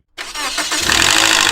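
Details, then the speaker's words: Toyota RunX 1NZ with VVT-i, start after sitting or in the morning: fast hard metallic rattle over idle for a few seconds then gone, from the single intake camshaft gear, slow oil pressure. "Basically, that rattling sound that you hear that just stays for a few seconds and then goes away comes from what is called the camshaft gear."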